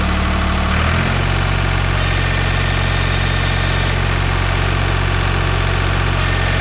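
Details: 1985 Ford 545A backhoe, 3-cylinder Ford diesel, cold start after rebuilt injector pump installed and bled: cranks, catches within a second, firm regular clatter about three beats a second; hydraulics very slow; normal diesel idle.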